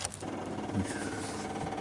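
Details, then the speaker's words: 1959 Ford Galaxie Fairlane 500, engine off, battery just wired in: fast steady rattling buzz from the electric dash clock's rewind mechanism, stopped by unhooking the clock's inline fuse; electric clock rewind buzzing. "we're assuming and thinking this is the rewind on the clock that's making that noise so we're gonna go ahead and see if we can figure it out"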